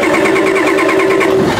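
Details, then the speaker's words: Old Ford diesel truck, glow plug wire suspected loose: steady whirring with even pulsing as the engine cranks without catching, glow plug clicking expected on start; hard start, cause suspected, not confirmed. "So that thing is supposed to, I mean, I could just engage it manually, but you're supposed to be able to hear that clicking when you start it. Okay, you hear that? That's the glow plugs."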